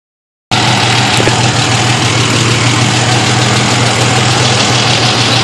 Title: 91 Ford Explorer lifter tick